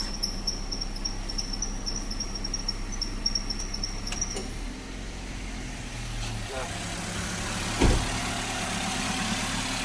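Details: Car at idle during a periodic service check, after switching the AC off: steady even idle hum with the earlier AC compressor pulley ticking gone; engine running cleanly.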